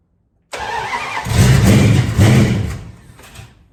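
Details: 1973 Dodge Dart Swinger, first start after new transmission and engine reinstall, fuel primed, wire reconnected; steady starter cranking about four turns a second with no firing, likely needs more ignition timing advance, not confirmed.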